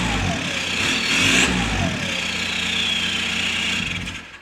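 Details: 1.9 TDI diesel just fitted with a straight-pipe exhaust; loud, raspy idle climbs in pitch on a quick rev and settles back, running normally. The pipe was poorly mounted and transmits vibration into the cabin.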